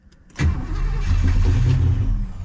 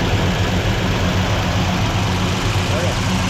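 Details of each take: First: Original 283 small-block V8 in a 1967 Chevelle, first crank in 20 years. Brief crank catches with a low rough rumble, then fades. Stumbles but won't run; owner thinks it needs more fuel and more timing. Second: Rebuilt 283 V8 in a 1967 Chevelle on first start, cam break-in with idle raised, fuel only on primaries and idle air bleeds not set; deep steady even idle, though valve train clatter noted, valves probably need readjusting; normal idle.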